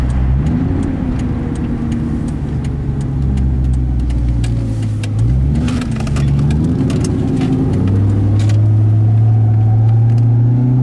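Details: 1999 Ford Mustang GT V8 with sharp, regular ticking knocks over the rumble, quickening as revs climb; owner suspects rod knock after possibly breaking something, unconfirmed.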